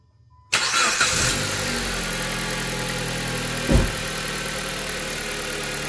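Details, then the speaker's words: 2007-2012 Dodge Caliber 2.0L after crankshaft sensor replacement and code clear: engine settles into a steady idle with a faint uneven pulse; misfire code returned after driving, spark plug suspected. "Well, it's just a misfire. The code right now is the misfire, so that would be the spark plug for sure."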